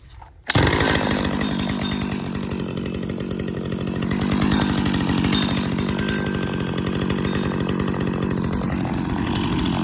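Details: 1999 Stihl FS80R 25cc string trimmer, recently bought and cleaned but not yet tuned up, warm start: catches after half a second and settles into a steady, even buzz with no misses or surging; runs normally.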